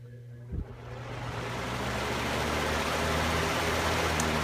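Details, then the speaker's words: Household fan whose motor had been hard to turn, only humming without spinning, now running on high after a few drops of lubricant. It spins up with a smooth rising whoosh into an even rush of air, with no squeak or rubbing; repaired and running normally. "I literally literally just put three drops or so of squeak scone and although this thing wasn't squeaking it still fixed the problem"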